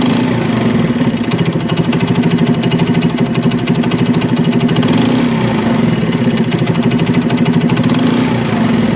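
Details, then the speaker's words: China CD70 small single idling with uneven loud knock every few strokes and tinny rattle; worn big-end bearing, connecting rod needs replacing. "लेकिन इसका जो आवाज आ रहा है वह begin खराब होने की वजह से यह आवाज आ रहा है इसका जो बिगिन है वह खराब है इसकी कनेक्ट राड चेंज होगी तब जाके इसका आवाज सेट होगा"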